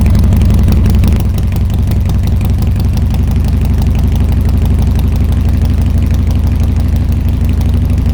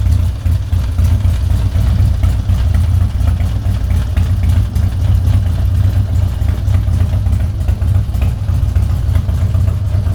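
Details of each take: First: Harley-Davidson Twin Cam Dyna Glide (FXD), 39,000 miles, before repair, cold on choke: V-twin loping unevenly at low idle, about three beats a second, and revs rise when spray hits the intake, indicating an intake manifold vacuum leak; stalls when choke is reduced. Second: Harley-Davidson Twin Cam Dyna Glide (FXD) V-twin, cold, after a CV carb rebuild and intake manifold reseal for no-idle and fuel leaking: steady, even low thump with no misses, with no fuel leak and a cold idle far better than before.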